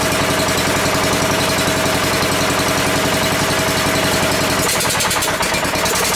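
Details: Ford garden tractor, sat long as a no-run, run with throttle raised after it seemed not to draw fuel through the main jet: loud, choppy, uneven firing that stumbles near the end; running rough, owner suspects fuel starvation.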